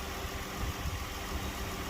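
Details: 2012 Dodge Grand Caravan after no-start fixed with fuel pump relay bypass cable in the TIPM fuse box: quiet low even idle, no stumbles or knocks; engine running fine.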